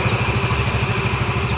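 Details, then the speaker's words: Yamaha Mio MXi 125, one month after overhaul with new connecting rod, cylinder block and side bearing: steady even idle putter with regular low pulses, no knocks or ticks; engine idles cleanly. "So ito yung andar ng kanyang makina. Ayan."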